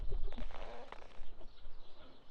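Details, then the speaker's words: Slide-out topper awning on a truck camper owned about 5 years squeaks, short hooting squeaks over heavy wind rumble, rubbing against the slide flange every time it's windy; fixed by lifting the awning off the flange. "is the sound of our slide out topper awning rubbing against the slide itself. We have had this camper for 5 years now, I believe, and every single time it's windy, we get to listen to this, and it's super annoying."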